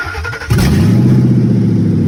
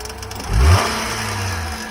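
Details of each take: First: Towed auction truck that dies when jump box removed or put in gear, started on jump: loud raspy, open pulsing exhaust at idle and light revs; catalytic converter not cut, exhaust pipe broken and taped. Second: 2017 Nissan Altima at a tow-yard auction, jump-started, driver airbag deployed and rear quarter damaged: a quick rev rises cleanly, then settles to a smooth, even idle with no knocks or misses; the engine sounds healthy.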